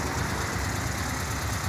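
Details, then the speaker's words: VW Kombi idling after its engine was redone (it had lost power and couldn't climb hills); even, smooth idle with steady low pulse, no knocking or misfire, no oil leaks; engine running soft and clean. "Tá tudo funcionando normalzinho ó dá uma olhada no motor lá como tá funcionando macio"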